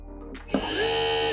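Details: TDPRO 1800W brushless motor with TDPRO Brainpower controller, speed-select wire black to green for high speed. Brief spin-up to a steady, high electric whine that holds evenly, then cuts off; normal high-speed running.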